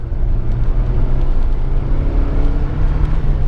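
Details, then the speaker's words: 1986 Saab 900 Turbo coupe, owned 4 years, boost gauge working: strong, steady, deep drone pulling evenly under acceleration with no flutter, knock or whine; the car gets up and goes well; normal turbo boost under acceleration. "Actually, the car gets up and goes pretty good."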